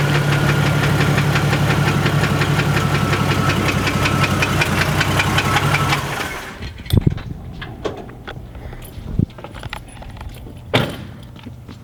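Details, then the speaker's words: Jeep found bone dry of oil with no leaks, clicking suddenly when moved: light ticking knock, about three per second, over an uneven idle before shutdown. Owners suspect bad bearings or rod knock, not confirmed; the oil pan is to come off. "it sounds like it's got bad bearings now it's got rod knock"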